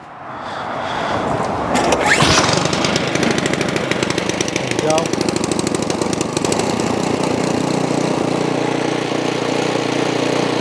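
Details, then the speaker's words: Ariens Path Pro 208cc single-stage snow blower that surged, after opening the carburetor idle circuit jet, started without primer: brief rough start then steady even drone with no hunting; surging gone. "And look at that, boys, the surging has went away."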